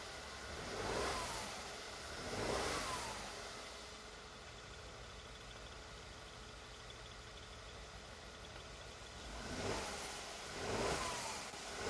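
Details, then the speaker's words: Mercedes GLS 450 with the M276 engine after camshaft and cam phaser replacement, jump-started on a low battery: it idles quietly, picks up cleanly on short revs and settles smoothly with no knocks or rattles. Normal rev. "Okay, it's running. Sounds good. Let me rev it up a little."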